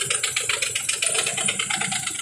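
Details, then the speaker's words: 1991 Nissan Maxima J30 with a VG30E V6 at idle: a sharp, steady knock about seven times a second, seemingly from the front cylinder head. The owner suspects oil passages clogged after switching from 5W30 to 5W40 and added an additive; the cause is unknown. "Звук такой нехороший, мне не нравится. Ну, вы слышите, что стучит ненормальный звук."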